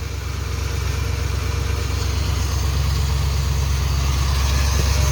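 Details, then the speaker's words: 1996 Ford F150 5.8L gas V8 after starter replacement: steady idle with an extra rough mechanical churning from underneath that builds louder, unusual noise; starter pinion hanging engaged and not disengaging, new starter to be bought. "there's like a i don't know some some mechanical noise under there that's that usually i don't hear"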